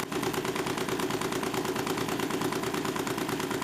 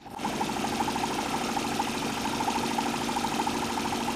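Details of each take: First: Homemade Stirling engine for a bicycle, running about 588 rpm after adding stainless steel mesh: fast steady knock several times a second; loose crank bolt noticed as likely cause, shaft wobble also seen. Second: Homemade Stirling engine driving a bicycle, modified with double opposed cup piston seals, spins with quick, even chuffing and a light rattle. It runs smoothly and gives a small power assist, though not enough for climbing hills.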